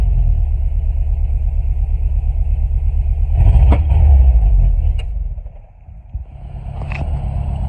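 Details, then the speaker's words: 1996 Chevy S10 after engine rebuild with milled head and light port and polish, first start: even, steady low rumble with a smooth quick rev and clean return to idle, no knocks or ticks; runs quiet and healthy. "There we go, y'all. It's running. It's quiet."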